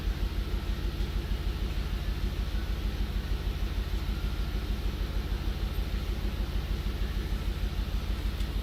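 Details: 2003 Audi RS6 V8 at idle after ECM replacement: an uneven, lumpy thump about three times a second, misfires on cylinders 2 and 7 caused by the ECM.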